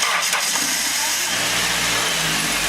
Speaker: There you go. Now it starts.